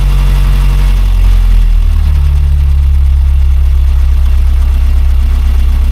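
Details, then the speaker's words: Rover P6 after replacing faulty timing chain tensioner, idle speed lowered where chain chatter used to be heard, run briefly without cooling system: steady, even low idle with no chatter or rattle from the front; chain quiet and healthy. "you don't want to run it too long cuz the uh no yeah normally you'd be hearing it now so it's better then yeah"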